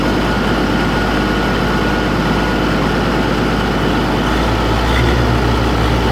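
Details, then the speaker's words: Oliver 1600 diesel tractor, unknown hours (clock broke at 1100), valves already checked: smooth at idle and PTO speed but coughs, spits and runs lumpy in mid-range rpm; owner suspects the injection pump or an energy cell. "You can hear it just kind of all over the place. It coughs and spits, and it's just not smooth."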